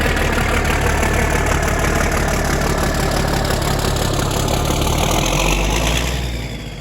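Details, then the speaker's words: Versatile 895 tractor diesel after its first service in years, turbo clamp refitted: loud, even clatter at a steady idle, no misses or knocks, easing down at the end; normal diesel idle. "But I love it. That sounds great. I'll take that."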